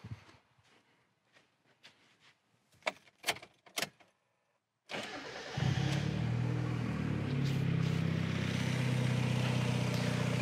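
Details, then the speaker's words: Turbocharged Mazda Miata engine in mechanically good shape starting up with a few clicks and settling to a smooth steady idle about 850 rpm, as it should; idle behaves like stock. "so just for fyi this engine is in mechanically good shape idling about 850 rpm as it should so nothing really is abnormal about this engine as it sits other than the turbo kit"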